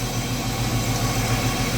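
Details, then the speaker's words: Chevrolet Omega 4.1 at idle after replacing an oversized valve-cover gasket (it raised the cover and left the intake manifold unsealed, causing a loud exhaust-like noise) with the thinner original SABO gasket: steady, even, smooth low drone, no ticking or puffing; normal idle, fixed. "nessa vez eu dei esse vacilo que eu não medi a junto a gente com essa palha mas agora tá aí ó funcionando redondinho é"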